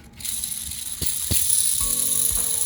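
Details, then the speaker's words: Austin 7 front wheel hub bearing, removed and spun by hand: dry, gritty rattle with a faint metallic ring and no smooth hum. The bearings are bone dry though not judged too bad; they are to be repacked with grease. "The front wheel hubs and the front wheel bearings, and I noticed that they're fairly noisy."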